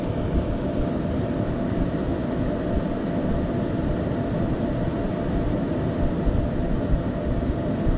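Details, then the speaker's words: Flashforge Dreamer (NX) 3D printer, two thin 80x80x15 mm 24VDC rear exhaust fans at full speed: steady loud roar of rushing air with faint mid hum, about 82 dB versus 42 dB with fans off. "it's about 82 db instead of 42."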